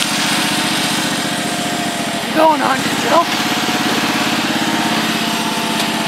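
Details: Husqvarna YTH1342XP 13 HP mower after fixing a bad PTO with a seized bearing, likely what stalled the engine: steady, even single-cylinder drone while working, a brief shout midway, smooth and strong. Normal running.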